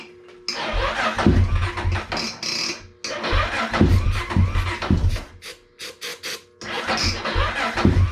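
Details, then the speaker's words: Honda 400EX ATV that sat for years: slow, labored cranking in bursts with a few brief firings that catch and die; fires but won't keep running, and the starter was worked too hard. "all right so battery it fires you can hear it firing work that starter a little harder than I needed to"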